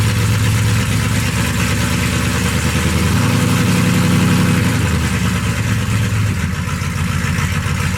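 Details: Stock 1991 Dodge D150, 318 TBI V8, with new Hedman 79080 headers and custom exhaust with Dynomax bullet mufflers: deep, loud, even V8 burble with a small rev rise and back down; engine runs normally.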